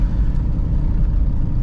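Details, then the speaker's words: 2002 Chevy Blazer 4.3L V6 Vortec, driving with O2 sensors pulled: loud raw rumbling exhaust, and it now drives well, showing clogged catalytic converters were restricting flow. "Oh, that sounds wild. Okay, I think we found our problem. The cats are absolutely clogged up cuz it's driving wonderfully now."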